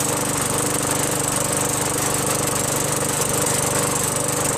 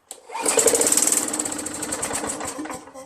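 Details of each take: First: Craftsman 21" push mower, Tecumseh 5.5HP, after a quick carburetor bowl cleaning: steady, even single-cylinder beat at constant speed with no surging or misses; normal running after repair. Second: Craftsman 21" push mower, Tecumseh 5.5HP, starts only when primed, after a Mechanic in a Bottle treatment: catches with a rough putter, runs a few seconds, then fades out; a varnished, gummed carburetor is suspected.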